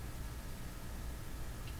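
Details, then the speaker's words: Philco Model 25 tube radio at first power-up, raised from about 69 V toward 90 V. Low steady unchanging hum with no response to the volume control. Mains hum. "so the best way I've got to Jack the voltage up a little higher we're aiming for 90 to start oh I hear it it's a Hummer"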